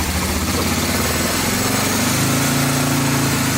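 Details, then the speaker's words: 1986 Honda FourTrax 350cc 4x4 ATV after valve adjustment (clearances were loose, tightened); steady low single-cylinder idle, even beat, earlier ticking basically gone with only occasional tick. "valves are adjusted let's see if it still has that ticking sound [Music] basically gone can hear it ticks sometimes but that's basically gone"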